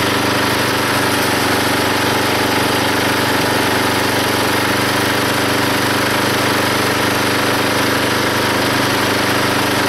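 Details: Log splitter engine driving the pump by belt, after fitting a homemade spring-loaded idler arm (wood, bolts, clearance idler pulley) because the belt flew off: steady even drone while splitting a log, engine taking the load, hardly any belt or pulley slip, no squeal; normal running under load.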